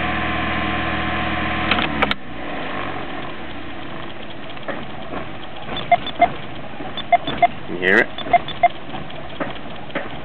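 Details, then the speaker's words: Old Toyota Corolla engine run hot on 91-octane petrol, also pings uphill at full load; owner suspects carbon buildup: after the key is removed it keeps chugging unevenly with diesel-like knocking slaps, then dies abruptly; run-on (dieseling). "You hear it, sometimes it goes even longer. It does sound like a diesel when it knocks."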